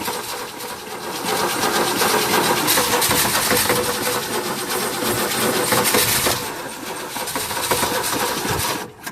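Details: Ford Falcon (1962 or 1963–64), believed 170 cubic inch inline-six, first start attempt after about 17 years unrun, fresh battery, has spark: uneven cranking chug of about three beats a second that never catches. Fuel isn't reaching the carburetor.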